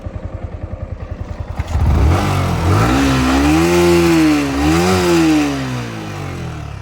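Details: Yamaha R15 V4 engine, in the context of a timing chain tensioner replacement for engine noise: steady, even idle pulses, then clean smooth rises in pitch on two throttle blips, with no ticking or chain rattle heard.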